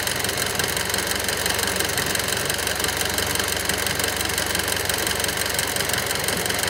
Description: EvoX - abnormal engine noise at cold start-up and at idle